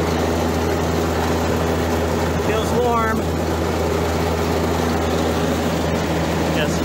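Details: Outdoor condensing unit for a too-warm reach-in dairy case, restarted after its shady crimped wiring was restripped: steady low hum, even drone, no chatter or stalling; condensing unit running normally.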